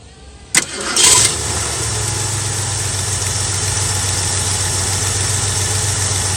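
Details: Carbureted Ford Mustang cold start after replacing an arcing spark plug wire: engine cranks, catches quickly and settles into a steady, even idle with no stumble or miss; misfire gone.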